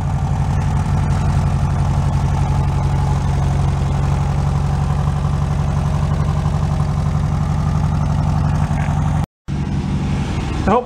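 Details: Air-cooled VW bus cold-started after storage: steady, even idle with a smooth low rumble and no knocks or misses. Normal idle.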